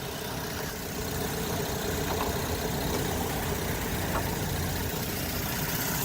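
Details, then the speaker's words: 2013 Mazda 3, 2-litre four-cylinder, 102,607 km, idling during a pre-purchase inspection; smooth constant hum with soft fan rush, no tapping or stumbling, running just as it should. "There's the 2-liter 4-cylinder. Running just as it should."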